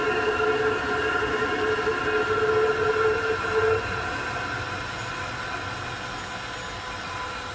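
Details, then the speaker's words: Chinese diesel heater shutdown: fan speed decreasing, pump still clicking very slowly, small voltage drop as glow plug believed to fire to burn off residues; fan whir fades to quiet run-down; normal cool-down. "the speed decreasing the pump is still clicking but very very slowly in a voltage drop on the [Music] small voltage drop I think glow plug is firing up to burn off the residues and that fan is still running"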